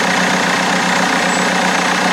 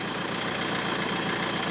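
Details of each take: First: BMW E90 320d on cold start just after a new turbo was fitted: rough diesel idle with a steady high-pitched scream, like someone screaming. The whine's cause is unknown. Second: BMW E90 320d diesel after fitting a new turbo, cold start, air filter off; steady idle diesel clatter with a faint high whistle, no irregular knocks, smokes at first. Sounds cleaner, healthy idle.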